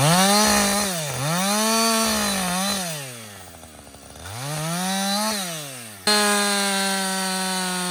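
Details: Husqvarna 562XP 60cc chainsaw, back from the shop after dealer reflashed its software for dying when hot and stumbling, bucking dead windfall about two-thirds of a tank in: steady two-stroke howl rises and dips as chain bites, crisp revs without bogging; normal under load.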